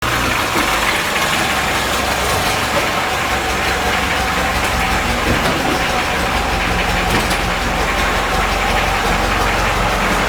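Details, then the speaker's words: VAZ-2106 with VAZ-21011 1.3 L petrol engine, rough lumpy idle with light clacking on top; owner reports compression in all cylinders, smoking, oil consumption, one cylinder not working (misfiring). "снаружи всё красиво но двигатель Сами вы слышали какой-то посторонний шум идёт что-то там клацает"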